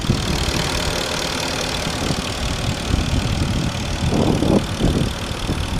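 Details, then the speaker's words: 2005 Porsche Cayenne Turbo V8 idling, heard at the open engine bay: steady low idle with light quick ticking on top, which is the fuel injectors; normal idle with injector ticking. "Here's the engine. The clicking noise you hear is actually the fuel injectors."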